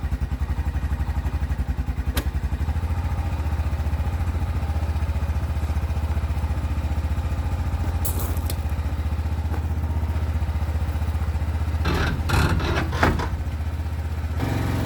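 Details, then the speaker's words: Quad ATV awaiting a specialist's repair: lumpy, uneven low idle that never settles, speed drifting up and down and choking down on its own; hunting idle, cause not yet known. "Hear how it runs? All weird. It's like always hunting for a different idol. Yeah. Chokes down."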